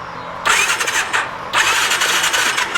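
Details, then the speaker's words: 2019 Massimo T-Boss 410 EFI UTV, after replacing the sprag (one-way starter) clutch that had let the starter just spin: two short cranking bursts engage cleanly with no free-spinning whir; starter clutch now turning the engine normally. "there we go so you can see this is actually turning along with the starter"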